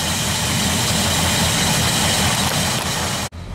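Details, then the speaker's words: 1976 Ford F-250 V8 with new carburetor, warming up, idling about 600 rpm; low steady rumble holding even idle without hunting or misses, idle holds extremely well. "all right so we got an idle right now it's about maybe um 600 RPM and it holds the outle extremely well"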